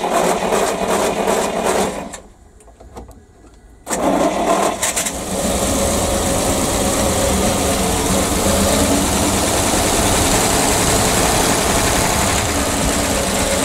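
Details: ПАЗ-672 bus engine after valve adjustment, with valve covers fitted: catches after a short pause and settles into a steady, even idle; the earlier knock is gone.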